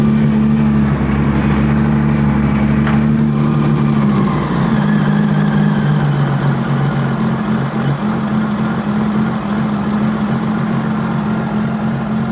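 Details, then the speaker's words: 2000 Honda GL1500C Valkyrie, worked on by previous hands; steady idle hum lifts and smooths within seconds as carb mixture screws are richened to 4.5 turns out, idle rising and throttle response improving, showing it was running lean. "The richer we make it, the better it wants to run. Throttle response has definitely improved."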